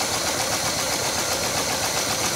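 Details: 1968 Chevy Caprice engine, sat 18 years, revved to pump up lifters: hissy, uneven idle with a fast ticking buried in the hiss like lifter clatter; likely collapsed lifters still pumping up, running better than before.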